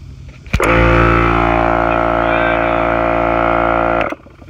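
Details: Kobalt 8-gallon 150 psi 1.8 hp air compressor on the same 50 ft 10-gauge extension cord: sharp click, motor catches at once and holds a steady strong hum; starts normally.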